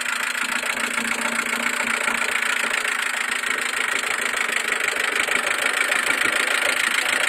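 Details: Mercedes A140 at idle: a light, fairly irregular tick rides over the steady idle, roughly a hundred a minute. The cause of the idle noise can't be pinned down.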